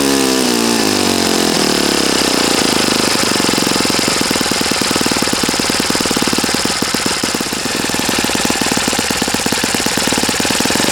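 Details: Customer's Saito FA-40a four-stroke glow engine on 11x6 Master Airscrew prop, Omega 10% fuel, new glow washer, valves set, high-speed needle opened 2.5 turns: picks up quickly, settles to fast crisp even exhaust beat, no misses or rattles; normal healthy running.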